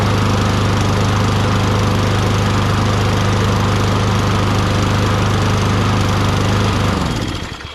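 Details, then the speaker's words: Free Toro Recycler 22" mower, Tecumseh 6.5HP, first start before repair with SAE 30 oil added and air filter off: catches, runs a steady, even drone about seven seconds, spins down cleanly; carburetor decently clean, primer circuit apparently works. "That it runs on its own, which means the carburetor is decently clean, and I guess the primer circuit does work, even though I didn't see any fuel shooting out."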